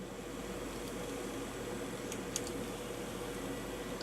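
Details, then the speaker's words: Fischertechnik motor driven by an Arduino Mega2560 over SPI, giving a faint steady whine without rotating while the control wiring misbehaves. "I hear the motor whine I hear this motor whine original position original position"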